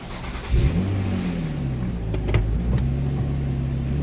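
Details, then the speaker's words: Nissan Maxima after the P0078 exhaust valve control solenoid circuit fault was fixed and the code cleared: the engine starts cleanly and revs smoothly, holding an even note. Before the repair it would barely rev; normal start and rev. "Oh yeah, that's a lot better, because before it wouldn't even rev up that well. That's a lot better."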